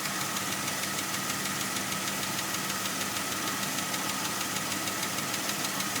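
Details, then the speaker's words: 2003 Jeep Grand Cherokee WJ 4.0L, about 150k miles, idling not fully warm with oil pressure about right: a sharp, even tick about three times a second comes and goes intermittently and grows louder. Suspected lifter tick. "it'll go away come back intermittently there we go oil pressure's about right not fully at uh temp yet tapping's getting a little louder now it stopped"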